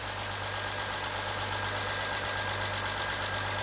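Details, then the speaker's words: BMW X3 E83 with M54 inline-six, start after head gasket replacement and retightened exhaust, oil pressure good, still cold before warm-up. A smooth, even idle with a steady low hum and no knocks or misses: normal idle. "There we go. That's what an M54 is supposed to sound like. Yeah, that sounds great, actually."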